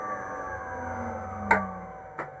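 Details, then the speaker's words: Commercial treadmill induction motor used on a bandsaw, after a first-time bearing replacement, run unclamped on the bench via VFD and slowly ramped up: clean, steady hum shifting in pitch, no rattle or grinding; normal motor run. "I know you didn't hear it before but that is so much better"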